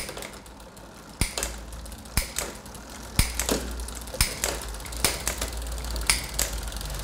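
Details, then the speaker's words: Bicycle rear derailleur after adjustment (eased slightly for hesitant 7-to-8 downshift): crisp single clicks about once a second as the chain steps up the cassette, clean shifts with no grinding; shifting properly. "gördüğünüz gibi sağlıklı bir şekilde viteslerim değişiyor."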